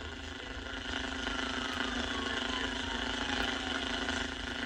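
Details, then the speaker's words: 1949 Packard Bell AA5 Model 100A radio after resoldering a connection (measured 16.5 on multimeter): reception returns but steady hiss, crackle and faint whistles with no clean station; set grossly misaligned, needing bench alignment. "Well, that was it, and it brought her back, but she is grossly misaligned now."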